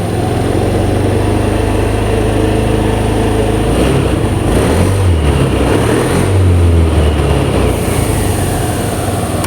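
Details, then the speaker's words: Honda Scoopy (donat) scooter that would not start with lost ignition (blinking code 52), after ECM and CKP reset and altitude setting to mode 1: steady, even low idle with no misses, knocks or rattles; engine running normally again. "Nah, ini untuk motornya normal kembali ya."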